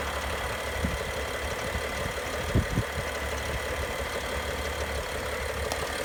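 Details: BMW N55 engine at idle with both timing chains, VANOS units, belt and pulleys all new: steady idle with a few faint, irregular light ticks over the engine note; abnormal noise, cause not found.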